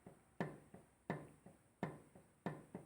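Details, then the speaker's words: Old Yamaha RD135 two-stroke engine (1985–86, hard to tune, misfires) being rocked by hand, giving sharp metallic clacks in loose pairs: crankshaft free play, possibly between bearings or in the block housing. It still spins freely; engine to be opened. "Olha a folga no virabrequim tá vou desmontar agora para saber se a folga tá entre os rolamento para saber se está entre o alojamento do virabrequim no bloco mas olha só pessoal gira soltinho beleza Tá mas Olha a folga que tem galera"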